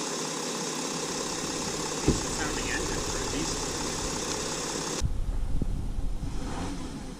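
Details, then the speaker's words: 2013 Porsche Cayenne Diesel, 3.0L turbo diesel V6, 240 hp; smooth idle with typical clicking, then a couple of clean free revs rising and settling without knocks — normal diesel idle and free revs. "That is the big torque diesel V6 in action. Give it a couple revs so you can hear that."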